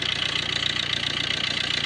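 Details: A petrol engine in a Tata Manza Vista idles smoothly and evenly with the drive belt removed, no whine, growl or knock: normal idle, the earlier noise coming from failed alternator bearings.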